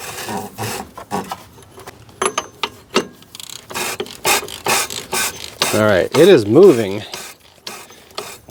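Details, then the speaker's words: 2008 Subaru WRX, seized alternator turned slowly by hand with the belt off: rough, uneven rasping and scraping strokes about three a second, loosening until it spins freely; alternator bearing seized and grinding. "not the greatest sound in the world, but it is moving. There we go. She's spinning freely."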